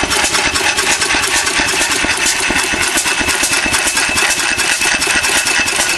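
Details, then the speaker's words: Old Bessemer engine, first official run with muffler: slow, uneven firing around two beats per second with loose rattling and hiss between strokes; rough running, owner suspects crankcase gasket air leak plus late timing. "I think I might have a a gasket leaking on the crank case might be sucking a little bit of air somewhere could be that in a combination of late timing maybe I'll try to advance the timing in another two in the future"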